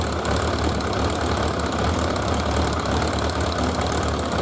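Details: 1991 Suzuki GS1100G idling lumpy and clattery with uneven low pulses after carburetor work, before balancing; carburetors out of balance, and balancing smoothed it out.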